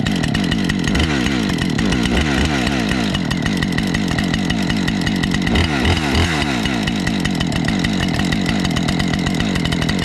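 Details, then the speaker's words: Husqvarna 550XP chainsaw started after sitting about 6 months, following initial choke errors: crisp, even two-stroke buzz with steady pitch and clean throttle blips; normal running. "can see, the Husky started pretty good. A little bit of my error in the beginning, not having the choke right. Gotta relearn that. I'm more used to the steels. So yeah, it started fine after sitting."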